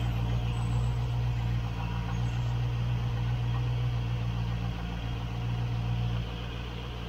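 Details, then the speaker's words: 1972 Range Rover V8 at idle on choke, cold: low, steady rumble while an open vacuum pipe lets the engine draw in a weak mixture through the hole; vacuum leak, weak mixture. "back in the box pipe is off this will be drawing in a weak mixture through that hole there we should improve it"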